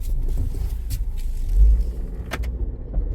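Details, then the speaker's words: 2015 Ford Escape AWD with chatter on hard turns, first suspected as a bad axle: low rumble broken by sharp snaps as the clutches in the rear differential's positive traction unit bind, grab and release. "And that is from the rear diff back there. What is that? That is the clutches coming together."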